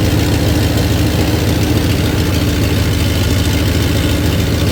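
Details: 1993 Dodge Ram D150 with 5.9 (360) Magnum V8, warmed up. A steady, even low rumble with no misses, knocks or hunting; the engine holds a smooth, settled idle.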